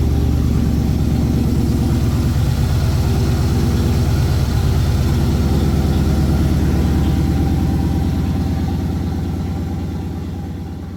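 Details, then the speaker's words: 1981 Ford Bronco 351 V8 running after no-start fixed (timing confirmed, carb on homemade adapter plate); deep, even steady idle burble, regular low pulse, no misses or knocks, through small resonator muffler and giant tailpipe; healthy, owner says sounds nice. "But yeah, it's just nice to have that success of firing this thing up and hearing it run. It sounds real nice."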